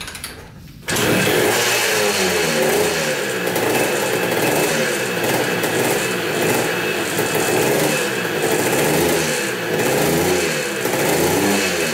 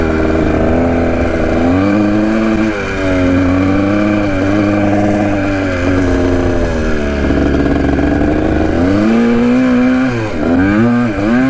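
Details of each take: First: 1980 Kawasaki KDX 175 two-stroke after fitting a silencer with an o-ring seal: steady crackle with revs gently rising and falling, much quieter than without it, normal running. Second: 1980 Kawasaki KDX 175 two-stroke with a silencer fitted: pitch climbs and falls but revs build lazily on each blip, slow to rev out; owner suspects the carb slide.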